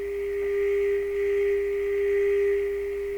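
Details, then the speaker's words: Deforest 10DA517 AM radio speaker, cone water-soaked and dried to cure a suspected voice-coil rub, on a frequency-sweep test: steady pure low tone with no rattle or buzz at this volume; clean, though buzz appears near 300 Hz and 200 Hz reproduces poorly. "but at that volume level no buzzing let's see what happens we go down a little further"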